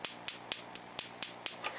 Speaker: Donc il manque des étincelles, on entend quand même un petit bruit, c'est absolument pas l'éclateur et l'étincelle, le bruit vient de la bobine, il y a un arc interne qui se produit quelque part et qui claque, c'est ce que l'on entend.